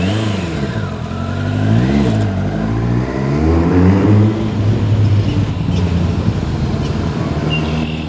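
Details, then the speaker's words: 1999 Kawasaki ZRX1100, airbox deleted, revived after twelve years sitting, on a test ride up the street: pitch rises through the revs but the pull stumbles and sputters under throttle; owner thinks it needs more tuning. "It sputters a little bit."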